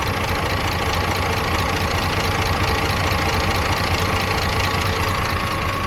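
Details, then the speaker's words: DAF MX-13 (2017, 530) at idle, with a customer complaint of a ticking sound around 1000 rpm and an engine warning light: loud, dense metallic rattle like a bag of nails, a tappety top-end valvetrain clatter; rocker cover to be removed, cause unconfirmed. "So now we know it sounds like a bag of nails. We'll get the cab over and see what's going on under the rocker cover."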